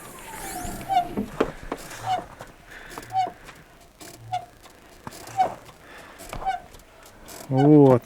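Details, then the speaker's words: 2021 Renault Duster 2, 10,000 km: short high squeaks about once a second as the clutch pedal is pressed, vibration felt through the pedal in the cabin; appears after 20–50 km of driving, not when cold; dry clutch release bearing, replaced under warranty. "вот так вот скрипит это в салоне вибрация на ногу передается"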